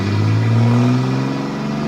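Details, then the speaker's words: 1929 Chrysler Type 66 Speedster after rebuild, freshly started, revs raised: short rev blip then settling, deep even exhaust with no knocks; sounds brilliant, healthy engine revving. "Oh, that sounds brilliant. Oh yeah, oh, it's starting to settle down now."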